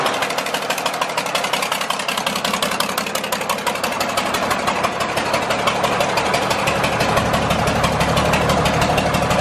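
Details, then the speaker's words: John Deere 4040 diesel tractor just revived after sitting for years: lumpy idle with an uneven beat about three times a second as one cylinder drops out. Cylinder number five is not firing. "there you have it guys our John Deere 4040 is alive it's not firing on cylinder number five"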